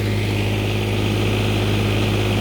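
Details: Newly refurbished Onan 7.5/8K RV generator on a stand before install, breaker on with no load yet: a smooth, even low drone at steady speed with no knocks or hunting. Running healthy.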